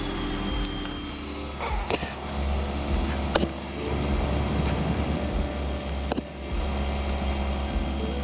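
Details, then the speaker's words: Honda 400EX ATV single-cylinder four-stroke, after carburetor fix of idle air screw, pilot jet and main jet: steady low drone holding an even note, no misses or surging; running smoothly. "all right guys so i figured it out it was the idle screw idle air screw and the pilot jet and the main jet"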